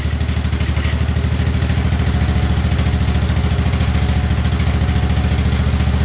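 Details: 1958 Wisconsin AENLD single-cylinder engine salvaged from a street sweeper, revived and running on a fuel bottle with muffler fitted after flooding and choking: even, steady low thumping at a relaxed pace, no misses or knocks, smooth and healthy.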